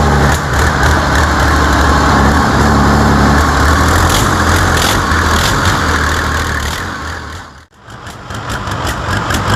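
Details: New diesel engine for a T62 tank, first test run after oil fill and starting fuel: steady, even diesel idle chug about two hundred beats a minute, no knocks or misses; healthy.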